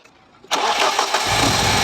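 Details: BMW E36 after repair of a loud slapping from the accessory belt drive: quick crank catches at once and settles into a smooth, even idle with no slap, tick or clatter from the belt drive.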